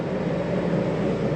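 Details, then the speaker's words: 2001 Georgie Boy 3602DS motorhome air conditioner running after the thermostat is cranked up; steady, even hum and whoosh with no rattles, squeals or surging, running normally. "Over here is going to be our thermostat. We crank our air up. Hear that running."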